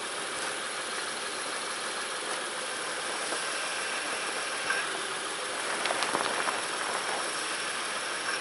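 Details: 2006 Honda Ridgeline RTL, engine started and settling to idle right after a DIY power steering pump replacement, fluid slightly over the full mark: smooth even idle with no whine or groan from the new pump; steering turns easily, healthy.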